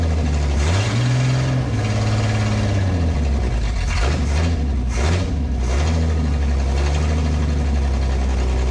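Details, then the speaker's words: 1968 Ford Falcon after exhaust blockage removed, brief run without radiator hose: deep strong exhaust climbing and dropping cleanly with throttle blips, revs crisply; now rips, heats up slower, healthy. "What a difference. Now she rips."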